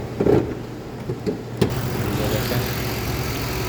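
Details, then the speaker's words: 2007 Lincoln Town Car V8 idling unevenly with irregular thumps; codes for ignition coils A, B, E, G and P0300, live data shows current misfire on cylinder 7 (bank 2), coil suspected. "अभी जो current miss fire है वह सात number पर है आप देख सकते हैं यह सात नंबर है सात नंबर में मिस फायर है"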